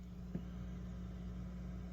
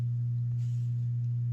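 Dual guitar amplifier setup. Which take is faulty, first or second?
second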